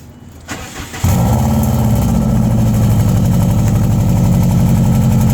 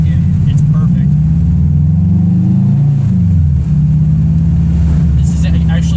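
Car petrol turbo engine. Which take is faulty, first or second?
first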